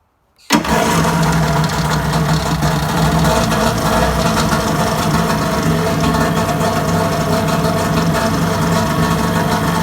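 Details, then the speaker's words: Kawasaki JS550 jet ski after rebuilding and cleaning the starter (previously clicked and barely rolled over): brief strong crank, quick clean catch, steady even two-stroke idle; normal start. "like butter. Check it out. Almost even better than the one that came from there to here."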